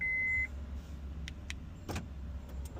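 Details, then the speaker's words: 2002–2004 Acura RSX, after replacing the keyless entry module (38385-S5N-A01) behind the infotainment unit, during remote programming (ignition on, lock pressed, repeated): a brief chime, then crisp clicks as the locks cycle. The module accepted programming. "Third time, ignition on, press the lock. We hear it again. We're going to press it one more time."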